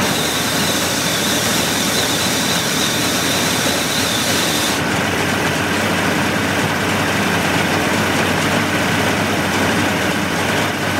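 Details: 1988 Mercury 70 hp inline three-cylinder two-stroke outboard with VRO oil injection, old salt-abused engine with carb problems, restarted after work: loud, steady high-pitched buzz, even with no misses, surges or knocks; running normally.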